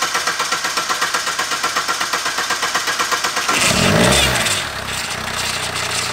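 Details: 2019 SsangYong Rexton Sports diesel after oil cooler replacement (coolant mixed into engine oil) and belt damper pulley noise fix: even cranking, catches, flares, settles into smooth quiet idle with no knock.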